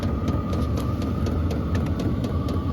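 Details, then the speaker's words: HCalory compact toolbox diesel heater on first startup, warmed up on setting H4 and now blowing hot with smoke smell: fast steady fuel pump ticking over an even burner roar and fan hum, running normally at high output. "Now it's at 22, and yeah, you can smell the smoke too. It's going hot. It's pumping really fast now."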